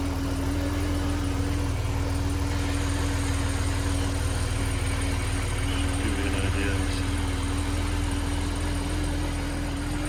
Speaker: it's gonna have some lights on here for a minute or so while it warms up that's the cold start we can hop out here for a second so you can hear it outside the car